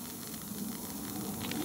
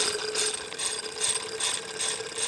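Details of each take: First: Wilesco toy steam roller steamed up from a cold boiler as water starts to boil: soft, steady hiss slowly building over a low simmer. The safety valve is starting to leak a bit of steam. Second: Wilesco toy steam roller, regulator slowly opened with cylinder still cold: slow, even hissing chuffs, roughly two a second, as condensate is blown out. Normal start on a fresh steam-up.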